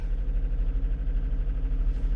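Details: 2021 Jeep Grand Cherokee 3.6L Pentastar after variable valve lift solenoid replacement for code P105c and noisy lifters, codes cleared, engine light off: low steady idle with even pulses, no ticking or misfire; settles smoothly.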